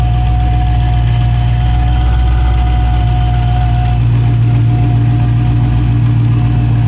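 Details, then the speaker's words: 2016 Dodge Challenger Hellcat V8 after replacing all 16 spark plugs: deep steady idle, even unbroken burble, no skipped beats; all cylinders firing, not yet road-tested. "sounds like it's running pretty good you can't drive it because it's missing a wheel but once the customer puts the wheel back on it's gonna have to go driving and see don't seem like it's misfiring or anything like that so we're good"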